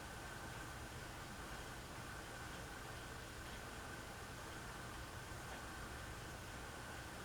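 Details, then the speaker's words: Hunter Reverse Aire Original ceiling fan on low speed after repair: starts slowly then a quiet, even whir with no ticking, scraping or wobble; runs normally, owner says it just needed oil. "starts up starts up really slow but then actually just i just needed some"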